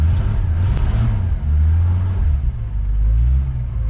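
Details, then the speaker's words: 1987 Coachmen Classic Class A motorhome gas engine after sitting over six months through winter; after long cranking with the pedal pumped, a deep rumble catches, surges unevenly, then holds a rough, wavering idle. Hard starting. "Not bad for sitting for over 6 months, huh? And through the winter."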